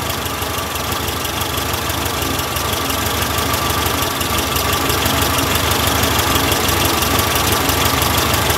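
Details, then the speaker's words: 1967 VW Karmann Ghia air-cooled engine, abandoned 45 years: chuffing unevenly at a fast, rough idle, running only on fuel in the carb since the dead fuel pump delivers nothing; won't stay running. Fuel starvation. "um nothing coming to the pump the pump is dead all right something's going on at the pump that's why it won't stay running"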